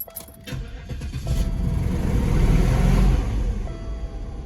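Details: 1998 Oldsmobile Aurora V8 that sat for years, start after fitting one new sensor; catches, revs flare high for about two seconds then slowly drop to idle, no improvement; cause suspected, not confirmed; high rev flare on start.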